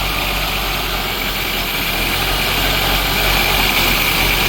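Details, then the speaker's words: 1983 Dodge Aries K-car wagon, 5-speed, revived after 30 years: steady, even idle with a faint hiss, running on fuel from the tank with the lines not yet clamped. The pump appears to be working; not yet revved. "The car is still running. Haven't rev it up yet, but let's see how long it runs."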